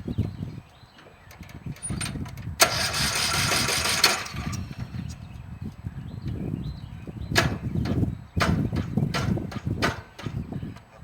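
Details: Briggs & Stratton riding lawn mower engine, cylinder head drilled as a fix: several uneven cranking attempts after rotating the engine backwards, then the single-cylinder catches and runs in bursts; hard starting from failed compression release.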